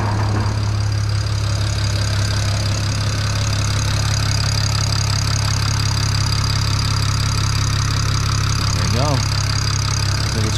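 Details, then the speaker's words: BMW N54 after replacing index 12 injectors (Chinese vs OEM) and coding: a misfire on cylinders six and four cleared, possibly residual fuel; now smooth, even idle firing on all cylinders. "clear the errors and see if they come back all right yeah it looks like it's idling perfectly fine now"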